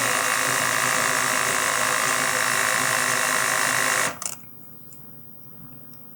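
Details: DJI Mavic Mini motor spinning with propellers removed after knock appeared around a blade change: high whir with fast, rough pulsing flutter, then cuts off; owner hears runout, motor fault suspected, not confirmed.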